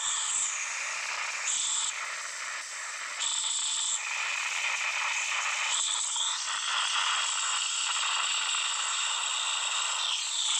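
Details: Samsung Note 9 loudspeaker randomly makes thin, hissy static with irregular ratcheting crackle while playing audio, no deep sound; only a phone reboot stops it.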